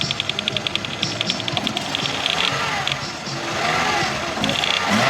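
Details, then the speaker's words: Toyota 2AR petrol engine, unstarted since 2023, running with sharp light ticking near four a second from the top; after testing the oil control valve (not sticking), ticking traced to the camshaft gear (cam phaser); oil change planned. "Okay. You can see how the clicking goes back and forth from the camshaft gear itself. That's where the problem is from."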